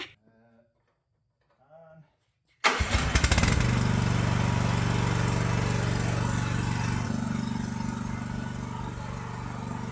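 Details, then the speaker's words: AGT LH12R mini excavator with RATO single-cylinder engine, governor spring screw rotated counterclockwise while running: fast steady idle that eases slightly lower; idle speed too high from factory setting. "what I'll do is I'll just reach in there and I'll rotate this counterclockwise and see how much the it speed will come down on that"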